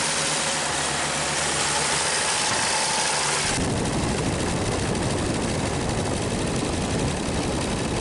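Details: 1939 Chevrolet Master six, revived after 48 years of storage. Steady, even idle with no knocks or misses, then road and wind noise as the car moves off; it runs pretty good.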